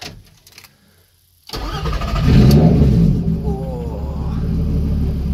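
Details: 3.2L VR6 engine started stone cold from an ultracapacitor bank (six 2000F 2.7V cells, 16V) replacing the battery. A brisk short crank catches almost immediately and settles into an even idle. Normal crank and start.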